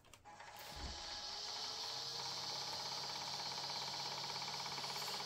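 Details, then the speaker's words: Fifth (top) jukebox mini Pentium PC at power-on: no beeps, just a harsh, raspy mechanical chatter about three times a second. A floppy drive is grinding, which does not sound good at all. "that does not sound good it does not sound good at all no beeps just noise"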